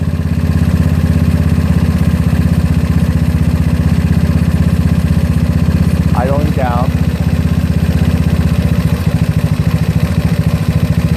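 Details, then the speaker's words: GY6 scooter single-cylinder with OKO PWK 30mm carburetor, mixture screw backed out far while tuning: idle turns slow and uneven, pulses sagging as if about to die, from an overly lean setting. "noise you hear it a little different not a little bit more kamar but almost dying"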